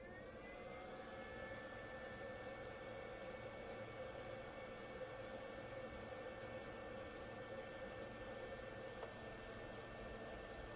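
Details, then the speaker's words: Ryobi RYI1000 1800W power station charging: the power brick gives a faint, steady whir with a thin constant tone, no clicks, buzz or surging. Normal charger noise. "just doing a quick noise test this is just a charging charging the power station I want you to hear the power brick so right now it's off let me go plug it in"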